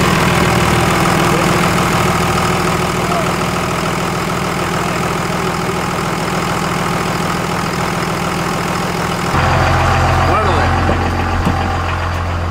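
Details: Dodge Ram 2500 Cummins 24-valve diesel after replacing a failed AirDog Raptor pump with a FASS DDRP fuel pump: steady, even diesel clatter at idle with a firm low drone and no stumbles or misses, running healthy.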